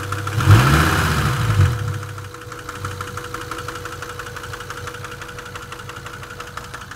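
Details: Engine at steady idle with a light knock repeating about three times a second after handling noise; source of the knock unknown.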